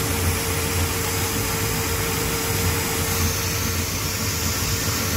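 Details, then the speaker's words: An 1987 Chevy square body truck V8, after a tune-up with a new distributor cap and a corrected firing order, idles loud and lumpy with an occasional stumbling thump. It still sounds like a misfire, the injectors seem to flood, and it smokes. "got the fire order correct it's running it still sounds like it's got a bit of a Mist to it"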